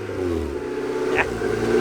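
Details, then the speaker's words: Old engine, nearly warm, revved to 6000 rpm: the note flattens and stops climbing, out of breath at high rpm; owner suspects the fuel mixture is off. Cause suspected, not confirmed. "6000 rpm! It's out of breath now I'll break this before sunday"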